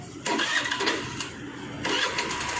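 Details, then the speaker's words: Hero Maestro Edge BS6 scooter cranks and catches briefly, then falters and runs unevenly, stumbling under throttle; OBD showed no fault, hard starting and stalling. "நம்ம எவ்வளவு start பண்ண முயற்சி பண்ணாலும் ரொம்ப start ஆகுறதுக்கே late ஆகும் அது மாதிரி accelerator கொடுத்தோம்னாலும் அடைச்சு அடைச்சு போகும்"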